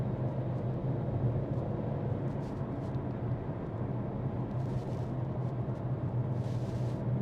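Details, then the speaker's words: Crash-repaired car coasting at about 50 with the clutch dipped: steady low whiny hum drones over road rumble, suspected worn wheel bearing, side unknown. "this car's got wheel bearing gone by the sound of it very very whiny"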